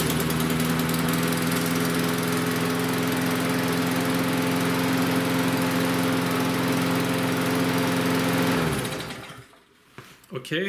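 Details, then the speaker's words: Lawnmower stored over winter, now running after fuel-system work, holds a steady but slow, lazy drone below normal cutting speed; the governor is set too low, corrected by lifting the governor-spring tab to tighten the spring. "that's what I was guys now it is revving a bit low so I'm going to show you how to set that"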